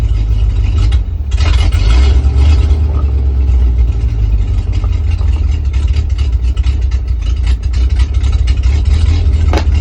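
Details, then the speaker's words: 1968 International Loadstar, 392 V8, new Holley inline fuel pump, just started: low, uneven idle sagging and wavering as if about to stall; idle and gas pedal need adjusting. Unstable idle. "Sounds like it's gonna die. Idle needs adjusted."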